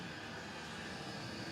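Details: Custom Webasto water heater and Chinese diesel heater hybrid, now controllable, at max setting after about 5 more minutes; radiator nearly 90°, burn chamber 140; steady even roar, no sputter, pulsing or misfire; normal full-output burning.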